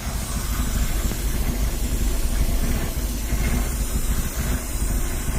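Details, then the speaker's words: Nissan Z engine just revived, running at an even low idle with a steady airy hiss; vacuum leak, to be found with soapy water. "have a leak I hear it hissing all right I'm gonna get some my soapy water and see if I can find that leak"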